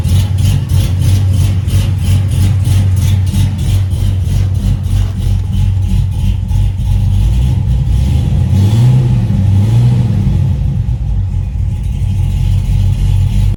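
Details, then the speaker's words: Cadillac CTS-V V8 with newly connected exhaust, still untuned, deep choppy idle with an uneven low thump and two quick rev blips. "So it does have a little chop to it. You kind of hear it now, but again, it's untuned."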